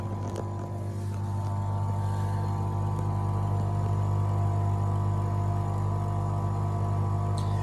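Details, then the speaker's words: HDCAM SR tape cleaner running a tape clean: steady low hum, even smooth drone with no knocks; internal air pump and filter sucking loose oxide off the tape as it is burnished and cleaned, running normally. "that noisy here inside is a pump there's an air pump and a filter inside that are basically sucking The Living Daylights no sucking the loose oxide off the tape as it gets burnished and as it gets cleaned by the tape cleaning mechanism inside"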